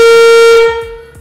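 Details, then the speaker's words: Classic Porsche 911 under restoration, during a wiring check of the headlights: one loud, clear horn blast of steady pitch lasting under a second; the horn works. "The horn works!"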